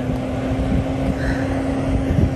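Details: Newly installed solar attic fan on a Florida roof, sun back out after a cloud: steady even low hum at one pitch under wind rush; fan turning smoothly at normal speed.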